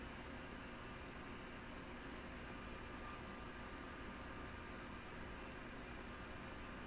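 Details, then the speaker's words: Yaesu FT-101E on first power-up, after the dim bulb tester was bypassed to send full power: quiet, even airy whir with no rattle or scrape, holding steady. Cooling fan running normally. "Yeah, it sounds like the fan's on."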